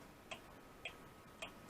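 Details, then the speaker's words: Restored Seth Thomas clock movement reassembled and running on the bench, not yet back in its case: crisp ticks about every half second, no skips, in beat; healthy clock ticking. "anyway it's doing real good happy with it so far got it back together got her running"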